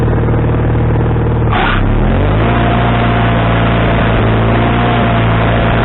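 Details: Wood-Mizer LT40HD sawmill engine with a new carburetor, after the linkage was moved from the wrong hole: the note dips, then settles at a lower idle that still wavers slowly. The idle is now adjustable, but surging at idle remains.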